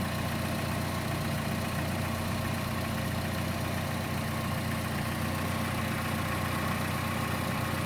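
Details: Chevrolet Cruze engine at idle: a light, quick ticking sharper than the usual tick, louder than normal and more noticeable on the belt side; the camera moves around to locate it, and the source is not yet pinned down.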